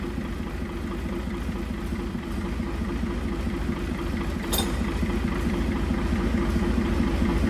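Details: International wheel loader diesel, sat 8 years, first run after pump work: heavy, lumpy, uneven chugging at idle, not firing cleanly, a little smoky; owner suspects injection timing slightly off, air possibly still purging.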